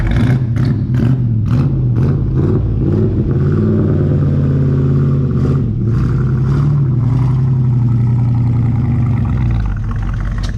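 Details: 1964 Chevrolet Chevelle Malibu SS convertible, 283 V8 two-barrel, factory four-speed, just revived (fuel pump doubtful, no brakes), driven through the yard: deep, even V8 burble rising and settling smoothly with throttle, no knocks or misses; normal healthy running.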